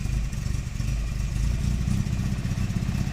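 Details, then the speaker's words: Nissan Primera P10 1.6L after engine gasket replacement, cold start needing throttle held; lumpy, uneven low idle pulsing and sputtering near stalling, light blue smoke; damaged carburettor valve not opening when cold, too little air, rich mixture, fine warm. "oui quelle galère vraiment au démarrage à froid"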